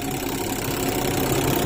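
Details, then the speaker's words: Sharp ES-T95CR twin-tub washing machine spin dryer after repair; previously the motor only hummed without turning, now a steady even whirring as it spins freely, stopping when the lid opens; normal spin. "Ya, terlihat itu memutar. Sebelumnya tidak ada reaksi sama sekali, hanya dengung yang keluar dari dinamonya."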